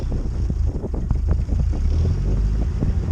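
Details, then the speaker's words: Carbureted Lada 2104 cold-started at about -19 to -25 °C after three weeks unstarted: deep, lumpy idle with uneven low thumps. Rough cold idle because the carburettor is still set for warm weather and the choke gives too little. "worst thing is this carp is still adjusted for warm weather hello the choke doesn't quite give it enough frontal till warmed up a little bit"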